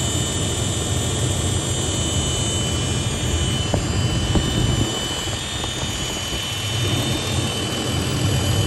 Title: Whine noise on 80 series LC